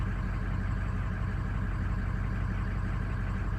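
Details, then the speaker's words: Diesel at cold start and initial diagnosis, VGT turbo commanded to cycle while idling: flat, unchanging pitch with steady low clatter, turbo pitch never changes; VGT not responding, suspected running without turbo, unconfirmed. "just mess up turbo is nuts it's not cycling at all I can't hear it at all you can see the DGP right here it's trying to cycle it but it's not working I can tell it's not changing it's not changing the pitch out there at all"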